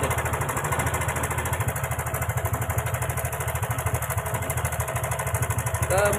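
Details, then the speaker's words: Karisma motorcycle single at idle: a rough, rattly ticking at about three per second. The cam chain is rattling; the owner is unsure whether the chain is slack or the automatic tensioner has failed. Oil is also leaking from the block gasket. "di depan saya ada motor Karisma nampak di suara mestinya sangat kasar sekali di sini ada suara cek cek cek cek cek cek cek cek cek cek cek"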